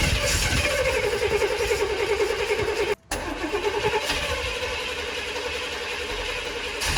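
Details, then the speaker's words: Car just fitted with a new Brawler 650 double-pumper carburetor after the old carb failed. The starter churns at a quick, steady beat but the engine never catches; there is spark, and the spark plugs are clearly fouled. "Getting spark. Yeah, these definitely fouled out. So I'm gonna go get some more."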